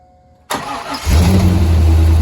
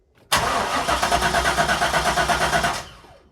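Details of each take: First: Corvette C5 manual, a former non-runner, after a replacement PCM/ECU install: the engine catches and settles into a deep, smooth, steady V8 idle with no knocks or misses. Normal idle. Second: UK Corvette C5 manual, non-runner, cranking about two and a half seconds without firing after replacement PCM install, during the security relearn procedure; security lockout blocking start.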